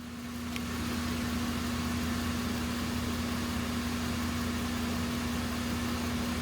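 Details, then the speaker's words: 2010 Chevrolet Impala 3.5 L with P0171/P0496 codes, after smoke-testing the intake and replacing the purge solenoid: steady, even idle hum, no misses or hiss; no leaks, runs smooth, fuel trims near 0. "No leaks, no vacuum. Engine is running pretty smooth."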